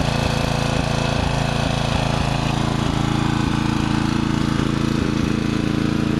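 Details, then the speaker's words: Murray riding mower, mouse nest cleaned out: the choke is pushed on and off to simulate a stumble that began after cutting half to three-quarters of the lawn. The single-cylinder putter keeps dipping and catching, near cutting out. Owner maybe suspects overheating, unconfirmed. "I was cutting about half to 3/4 of the lawn before it started doing this. So maybe it's an overheating problem, I don't know."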